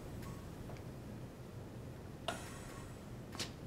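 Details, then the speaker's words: Hamilton G5 mechanical ventilator pre-use check, flow sensor turned back to original position: few sharp unevenly spaced ticks as flow sensor check continues; normal self-test. "the ventilator automatically recognizes that and continues the flow sensor check"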